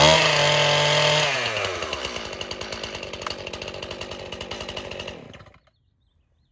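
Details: Stihl chainsaw, started with the choke moved one position up after the first fire on full choke: it catches and revs high, then drops to a steady, even idle popping about three times a second; clean start without flooding.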